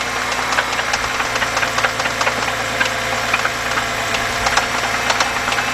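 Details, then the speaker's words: 2011 BMW 328i 3.0 with many stored codes and an oil filter housing gasket leak: irregular sharp ticking and knocking over a steady idle from inside the engine, toward the timing chain area; suspected internal timing chain noise, not confirmed. "Guys, that is actually that's inside. That's where the timing chain and everything is at."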